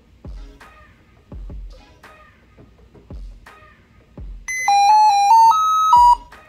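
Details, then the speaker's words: Lenovo ThinkPad X1 Carbon at power-on with black screen: short rising-and-falling chime of about six pure notes, Lenovo's musical tone error, most likely a failed LCD screen, otherwise motherboard. "yeah very annoying so this is called by lenovo a musical tone issue or musical tone error and it basically means something is wrong"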